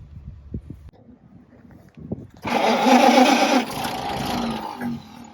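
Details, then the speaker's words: Restored 1929 Chevrolet International truck, first start attempt, metering jet just loosened after being screwed in too tight; spark advance not pulled out: slow cranking, a brief rough catch, then it fades; fuel starvation. "it's trying to start it's just not getting as gas so oh okay"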